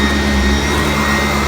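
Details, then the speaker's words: Upright vacuum on carpet with the brush height set too low: steady high motor whine over the roar, straining and not beating the carpet; raising it to setting 2 made it much quieter and the brush smoother. "Yeah, you can hear. You can hear it whining. I think it's struggling a little bit. It's not beating the carpet or working the carpet."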